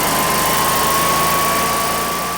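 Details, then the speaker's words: Newly installed Generac standby generator running with good voltage before transfer switch test: steady, even engine drone with constant high whine on top, no knocks or surging, running normally. "All right, so the generator runs. We had good voltage."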